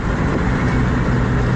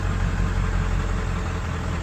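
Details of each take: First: Ford 7.3 Powerstroke diesel truck: deep rumble sagging and uneven as it slows, about to stall; check engine light on, power loss limited to ~1 psi boost and ~35 mph; owner suspects camshaft position sensor. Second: Ford 7.3 Powerstroke diesel truck after stalling, restarted by cycling the key: steady, even low idle with no misses or knocks, then shut off; intermittent check engine light, power loss and stalling suspected from camshaft position sensor.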